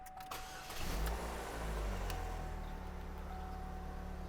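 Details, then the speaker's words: 2011 Chevy HHR with no crank/no start, U2137 code and no communication with theft deterrent module, after diagnosis and key procedure: starter whirs briefly, engine catches within a second and settles to a smooth even idle. "And we've got ourselves a runner. That's a great thing."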